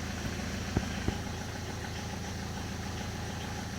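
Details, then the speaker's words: Peugeot 206 HDi diesel idling with newly fitted Helix organic clutch kit, pedal released: loose, uneven metallic rattle over the diesel clatter that disappears when the clutch is pressed; clutch plate splines rattling on the gearbox input shaft. "Basically what's happening there is that the clutch pressure plate has splines that attach to the input shaft on the gearbox."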